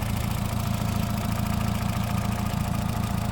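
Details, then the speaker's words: 2008 Honda Civic Hybrid small engine idling evenly with a steady low chug, no knocks, ticks or misses; healthy at idle. "And it's just chugging away. It's doing whatever it's supposed to be doing."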